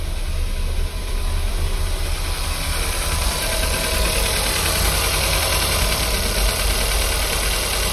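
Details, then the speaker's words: Audi, 171,000 km, warmed up, winter: uneven lumpy idle with irregular low shudder; scanner reports misfires on cylinders 4 and 2, cylinder 3 spark checked good. "поэтому читаем ошибки что он тут нам напишет Давай давай обнаружены пропуски четвёртый второй воспламенение"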